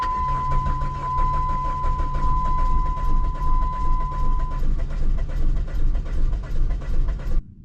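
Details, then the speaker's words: Low-mileage 1995 Plymouth Neon, long sitting, cranked in chilly weather: about seven seconds of steady cranking, trying to fire one cylinder but never catching; crank, no start. "It's trying to like fire one cylinder. Nope."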